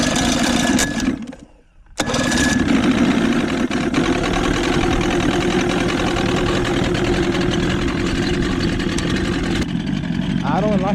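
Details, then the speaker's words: 1977 Johnson 115 outboard after new reed valves, CDI, coil packs, fuel lines and cleaned carbs: steady, even two-stroke burble at idle, no misses or knocks; normal idle. "if nothing else, had brand new high performance read valves on top of brand new CDI, brand new coil packs, and uh new fuel lines, cleaned out carbs. Look how she runs now. Finally."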